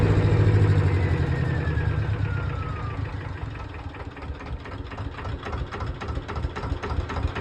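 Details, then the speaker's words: Kawasaki Eliminator EL250 motorcycle after restoration, warm at idle after 27 miles: soft even idle at about three beats a second, settling smoothly with no knock or miss; engine running perfectly. "Running absolutely perfect, no complaints whatsoever. So yeah, really, really happy. Have a listen to that engine. I think I've got the tick over right now. Now it's warm. Absolutely perfect."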